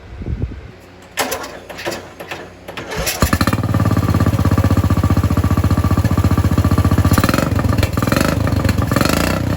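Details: LT Johnson with aftermarket carburetor, previously ran only on choke, after new fuel line and fuel filter: a few cranking attempts, then catches and settles into a steady even chug about 2.5 beats/second; runs normally.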